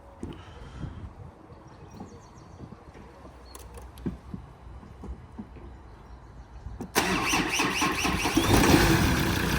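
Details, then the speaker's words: Ford Ranger with a replacement engine after the original was holed, battery still a little weak: a few seconds of quiet clicks, then the diesel catches and settles into an even, steady idle; a clean, healthy start. "the battery is still a little bit weak that sounds beautiful now I know we've put no mics on but that sounds really cois sweet as up mate"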